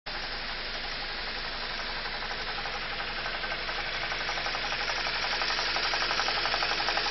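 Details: BMW E46 316i N42 at idle: fast, regular light knock about four per second over hissy background; owner suspects a broken vacuum pump, the noise changing when the brake booster vacuum pipe is unplugged.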